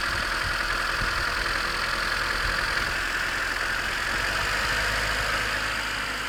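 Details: 1991 Honda CRX DX, D15B2 dual-port engine, 300,000 miles, cold start at 30 degrees outside; busy metallic clatter over steady idle, long-standing, quieting as it warms. Owner unsure whether rod knock, piston slap or valve clatter.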